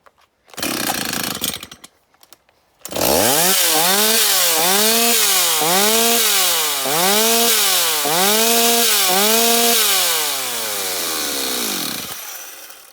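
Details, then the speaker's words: Stihl 026 chainsaw, high-speed (H) screw turned in to under one turn out: repeated throttle blips climb to a thin, screaming pitch and drop back; it runs smoothly but reaches about 14,050 rpm, overrevving from a lean high-speed mixture. "Donc là vous voyez on arrive à un tour, elle tourne vraiment rond, mais là on est vraiment sur des positions où on est à moins d'un tour, on est, voilà, et on arrive à 14 050 tours, ce qui fait beaucoup trop."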